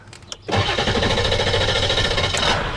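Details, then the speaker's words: 1999 Ford F350 7.3L PowerStroke turbo diesel, restarted after sitting, A/C on max: short crank then catches and settles into a rough steady clatter; hard start, seems to lose fuel prime after sitting. "like kind of loses its prime doesn't it after sitting for a little bit"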